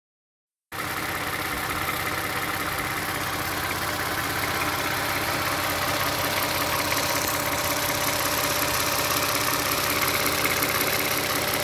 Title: Clicking sound of engine, this sound just started June 13th. Prior engine tight and silent.